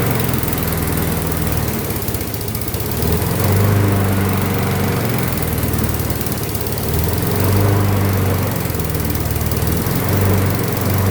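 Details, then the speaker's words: Craftsman front-wheel-drive flathead mower with no power: low putter swells and sags about every four seconds, hunting and labouring; dirty carburetor first suspected, but spark plug reads lean, cause unconfirmed. "I'm thinking it is it's uh such got such a dirty carburetor that it hasn't got enough power to run the front end."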